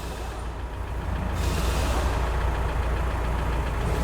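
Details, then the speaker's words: VW Amarok diesel at idle without the clutch pressed, after the repair for clutch-area noise (dual-mass flywheel suspected): steady, even idle with a smooth low rumble and no rattle or knock; noise that was present before at idle without the clutch is now gone. "e ela não tem mais ruído antes na lenta sem pé na embreagem ela fazer ruído"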